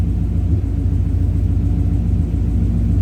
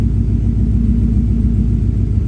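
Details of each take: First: 1965 V8 with check engine light code P0352, chilly day: low lumpy idle with uneven pulse, like one cylinder blowing air through the exhaust each revolution; intermittent misfire suspected, cause not confirmed. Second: 1965 V8 being diagnosed for a P0352 check engine light, still a cold start at idle: deep, even rumble with a steady beat and no missing or stumbling cylinder; sounds like all eight are firing, normal idle.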